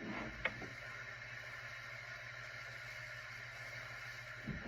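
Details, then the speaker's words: SMC ceiling fan motor, completely dead before, after cleaning dirty switch contacts, first power-up: a couple of switch clicks, then quiet even motor hum with faint steady whir, no scraping or wobble; it runs. "It runs. It was completely dead earlier."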